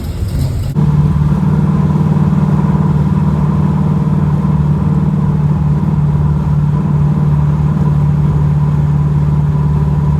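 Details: Cammed 305 small-block Chevy V8 in a Pontiac Grand Prix G-body, after fixing a random misfire from a damaged, heat-burnt spark plug wire: deep, steady, slightly lopey idle rumble with no skipping beats.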